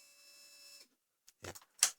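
A thin, steady high whine lasting under a second at key-on, then cutting off cleanly; fuel pump priming normally.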